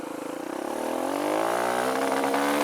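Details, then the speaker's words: Kawasaki KLX140 with newly installed KX65 carb, first test ride: revs climb then bog and sputter around half throttle, losing power; owner suspects the carb needle position needs adjusting. "yeah there's like a big blog you can you can hear it it just rubber bro you know just it just loses power"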